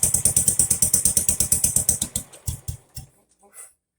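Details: Jacobsen Chief 800 lawn tractor pulled from the weeds after long storage, first start on an old battery with brake cleaner sprayed into the carburetor: pops about seven times a second, then falters, sputters and stops. Owner suspects it reached dirty old fuel.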